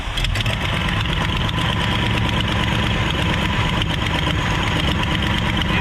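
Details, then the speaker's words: Abandoned 1968 Ford XL, primed with fuel, after starting: ragged, uneven low beat, running real rough when revved; idle mixture not adjusted, idle screw broken, and the carburetor is described as dead with not enough fuel. "just here and idle. I don't see anything. Get real rough when I try to up."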